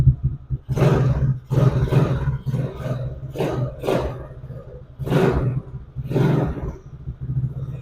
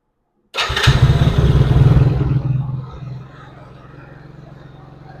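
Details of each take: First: 110cc Chinese ATV single-cylinder after the intermittent-spark repair. Low, steady idle with sharp throttle blips that pick up cleanly and settle back; runs normally. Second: 110cc Chinese ATV after new stator, battery, carburetor and fuel lines fixed its intermittent spark: fires up, races hard, then settles to a fast buzzing idle. Idle speed is set too high; the carburetor still needs tuning.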